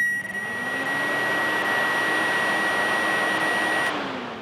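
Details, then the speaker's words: Cooling fans powered directly at the fan wire with a Power Probe 3: an even whir and steady high tone holding speed until power is removed. Normal cooling fan operation. "and the fans kick on."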